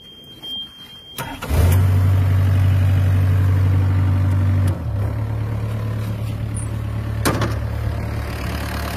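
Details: Yanmar B6Z 0.25 excavator diesel: brief crank, then catches and settles into steady, even low idle with no knocks or misses; normal start and idle.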